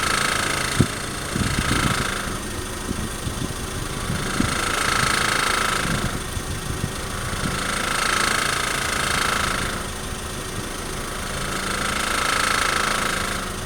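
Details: 2003 Honda Civic EX: loose, uneven rattle under the low engine drone when slowly accelerating or decelerating at very low RPM, with slow surging swells; source undetermined.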